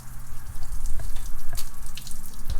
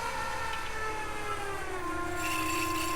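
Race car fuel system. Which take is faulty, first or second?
first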